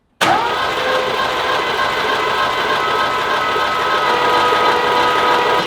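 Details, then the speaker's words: Panel van engine being started for the first time: cranking with the spark plugs removed and the distributor not yet fitted, to build oil pressure. A fast, steady starter whine with no compression pulses. Cranking is normal. "I actually got this Dizzy me, but why don't we take the spark plugs out so we get it spinning quicker? Ready? Yep. Alright, spark plugs are out. We're going to see if we can crank a little bit harder and see if we get oil pressure."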